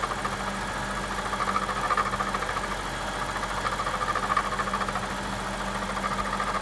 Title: 2007 BMW 750i - Strange Engine Noise